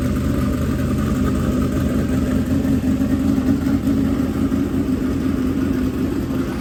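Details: Freshly built dirt-track race V8 in break-in, held at a fast idle of 2000–2500 rpm to heat it and seat the bearings: a steady, even burble with no misses or knocks. Normal fast idle.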